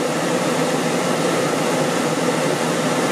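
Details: RV air conditioner running on a generator with a Supco SPP6 hard start capacitor fitted, in the upper 80s, with the converter and other loads off: a steady fan whoosh over a constant compressor drone, no surging or stalling. Running normally.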